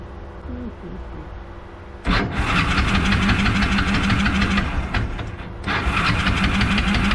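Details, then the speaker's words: Kawasaki KLF 300 ATV after engine rebuild and neutral gear holder repair, choked: starter whirs, engine catches, runs rough, dips and nearly dies before being kicked back to life; hard starting, won't keep running, owner suspects flooding. "All right. Now, it doesn't want to start."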